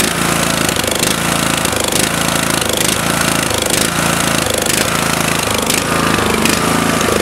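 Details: Murray tractor with 16.5 HP Briggs & Stratton 31C707 single-cylinder engine under load (weight on seat), loud and rough with sharp exhaust pops about once a second after muffler gasket repair; suspected carburetor problem causing afterfire.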